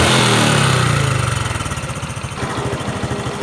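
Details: Honda Future 125 FI scooter with a slipping clutch, recorded at the cam side: revs fall to a fast, even idle with a light busy clatter over the firing, attributed to a worn cam chain tensioner.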